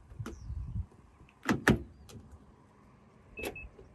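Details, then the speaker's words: Mazda CX-30 Carbon Edition, keyless lock and unlock: a few sharp, solid clunks as the locks throw and release, quick and even; door lock actuators working normally. "you really hear the lock sound making noise"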